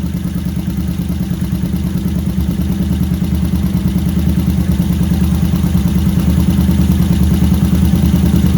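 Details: Yamaha SR500 single cylinder at first start after an engine overhaul and carburetor fixes, with the air filter off: a loud, deep, undamped thump at idle because the Akrapovic silencer is not yet packed or insulated.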